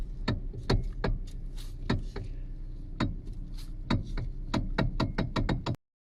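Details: Hyundai/Kia steering column as the wheel is rocked left and right: sharp, hollow heavy clunks felt in the hands; worn steering coupler rubber bush suspected, not confirmed.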